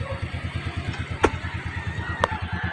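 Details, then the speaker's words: Suzuki Smash 115 motorcycle after connecting rod replacement fixed a knock from rod side play; even regular idle pulses, no knocking, a horn chirp or two: normal idle, noise gone. "Ito na ang tunog final na tapos na napalitan ng connecting rod mga boss. Ang kanyang motor. Wala nang ingay."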